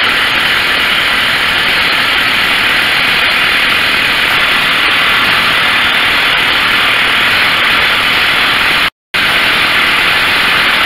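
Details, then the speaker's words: Stihl chainsaw after carburetor, coil and spark plug replacement, high-speed screw adjusted and idle lowered via the T screw: steady, even high-pitched two-stroke buzz with no surging or stumbling, full power; normal idle. "the idle was a little bit high so i tweaked the idle the t button and now she is good she's got full power"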